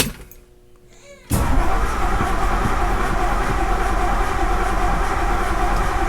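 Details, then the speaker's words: 1964 Ford Galaxie 500 cranked after sitting 15 years: low, even cranking about four per second with no firing; getting fuel but apparently no spark, condenser suspected dead after points and condenser inspected. "yep sounds like it so we were getting fuel didn't seem like we were getting any Sparks"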